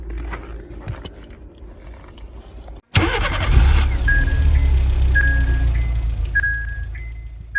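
Starter churns at a quick, fairly even beat for several seconds but the engine never fires or catches; cranks, no start.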